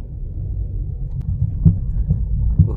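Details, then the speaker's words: Toyota Yaris on a road test at higher speed: steady low drone from the rear, felt strongly in the cabin; suspected worn rear wheel bearing, not confirmed. "Bagian belakang dengung ya. Ini harus di jalan agak gedean karena di bagian belakang ini kerasa banget dengungnya."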